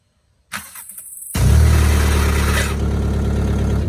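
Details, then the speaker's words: VW Mk4: starter cranks, engine catches, then a thin high whine over the idle for a couple of seconds after every start; owner suspects a dry starter needing grease. "first that it makes this noise like whining noise once you start it you hear like making noise that's it it's the starter it's it's dry"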